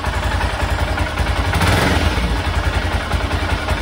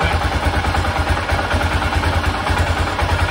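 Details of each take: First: 1996 BMW F650 Funduro single after carburettor rebuild, just fired up and warming: slow loping thump with some top-end clatter, tick-over sits a bit low and needs turning up (about 1,500 rpm). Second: 1996 BMW F650 Funduro single after carburettor rebuild: even steady thump held at raised revs, no stumbling or cutting out; previously it cut out at higher revs, now sounds much better.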